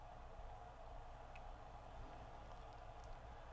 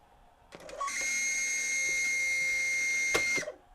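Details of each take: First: Sony CFS-B11 boom box (1996) cassette motor on 9 V DC bench supply after belt replacement and motor lubrication, now humming quietly and evenly with no squeal; it previously squealed when play was pressed. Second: 1996 Sony CFS-B11 boombox, press play with tape loaded: click then steady high-pitched squeal from the cassette capstan motor, its bushing running dry; fixed by belt replacement and motor lube.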